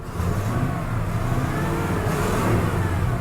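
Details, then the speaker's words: 1987 Chevy Monte Carlo Luxury Sport, long-sitting with rotten-smelling fuel: engine revs rough with scattered pops, hesitates and tries to stall under throttle; popping on acceleration, cause unknown. "uh it start I tried stalling out when you give it any gas foreign yeah she's not happy guys"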